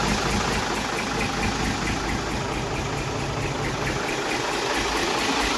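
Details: Truck with Eaton cable-shift gearbox, engine stated as J8C/J84, at idle: even diesel clatter over a low rumble, with no stumbling or extra knocks. It idles smoothly and is healthy.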